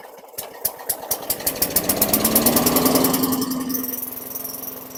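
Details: 2003 Craftsman mower (model 917.387360), Tecumseh 4.5 hp 148cc engine, after fitting the correct carburetor in place of an oversized one, just primed: small single pops then runs even and smooth, idle rpm a bit low. Sounds much better.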